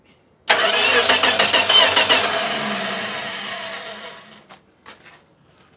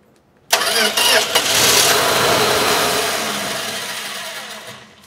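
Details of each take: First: 1965 Plymouth Valiant, 170 Slant Six with three-on-the-tree, engine reportedly rebuilt around 2000, cranking freely after a starter fix at about three beats a second for four seconds without catching; normal cranking before first start attempt. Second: 1965 Plymouth Valiant, 170 Slant Six, engine reportedly rebuilt around 2000, just after a starter fix: cranks and fires briefly on ether with a rough burst, then dies; has ignition but fuel isn't yet reaching the top from the tank, crank no start from fuel starvation.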